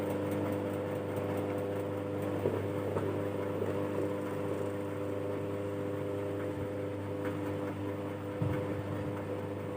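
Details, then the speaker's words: Air cooler fan motor after repair (corroded aluminium winding wires cleaned and reconnected, faulty capacitor replaced), run on speed settings: even, steady hum with light whir, no scraping or knocking; motor runs smoothly and stays cool. "यह गर्म भी नहीं हो रहा है, और यह ठीक से चल रहा है।"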